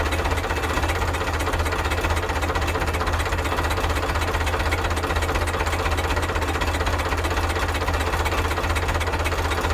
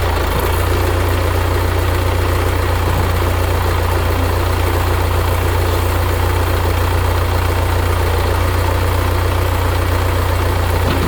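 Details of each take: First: 1975 Case 680CK backhoe diesel, first start after long storage: runs with heavy uneven thumps and stumbles at low speed because the backhoe throttle was accidentally pulled back; rough running from throttle set too low. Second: 1975 Case 680CK backhoe diesel after long sitting, oil change and new batteries, throttle reset after being bumped back: steady deep idle drone, even with no misses or knocks; engine running smoothly.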